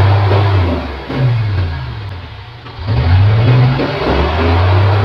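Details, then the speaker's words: Mitsubishi Canter 4M50 diesel truck that would not start, revved after repair: strong, clean rev rises and falls with a solid, even note; panel reading now okay. Normal revving. "Okay na ang andar ng makina RPM tayo dito at kita niyo at napakinggan na malakas na kaya"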